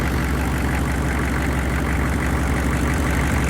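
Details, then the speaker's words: Chevy 6.5 L V8 turbo diesel that sat five years; the fuel pump was getting no power and now runs on a makeshift wire after ether: a steady low diesel clatter at idle, even, with no stumbling or dropouts. "Anywho, she fucking runs. That's all that matters."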